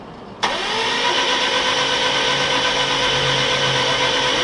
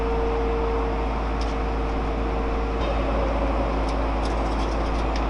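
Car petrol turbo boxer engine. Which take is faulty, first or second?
second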